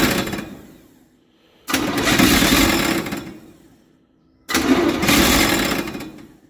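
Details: Chevy 283 V8 in a parts truck, not run in a while, choke on: two harsh, grating cranking bursts fading as it half-fires; the new starter is held by only one bolt and sounds bad, nose cone expected to break.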